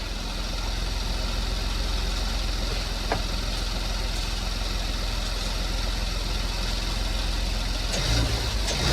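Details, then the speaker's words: 2015 Porsche Macan first start after timing chain replacement: smooth, even engine note building toward the end without rattle or knock; no check engine light, running as designed, though a small coolant leak was found. "Everything seems to be working as designed."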